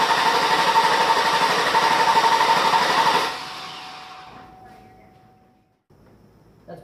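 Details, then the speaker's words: Engine with fuel pump relay pulled to simulate no fuel; quick, very even cranking about four beats a second for three seconds, never catching; crank no start, no fuel. "you trying to start your engine and it just continues to crank but it doesn't actually fire do anything like that"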